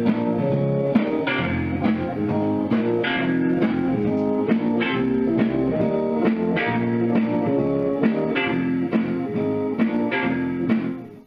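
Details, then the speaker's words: NAD 2400 stereo solid-state power amplifier after repair, out of its case, playing iPod guitar music through test speakers: clean, full sound with no hum, crackle or distortion. The amp works properly. "so as you can hear sounds pretty good even with these uh test speakers here"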